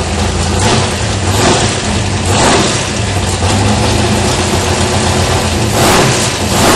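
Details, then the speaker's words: 1981 Chevrolet Malibu drag car, big-block Chevy V8, first start after about 15 years in storage, in neutral: deep, loud, lumpy idle with even beat and a couple of light blips; normal healthy idle. "well it's live kind of forgot what it sound like it's been so long since I had it running that sounds pretty good still"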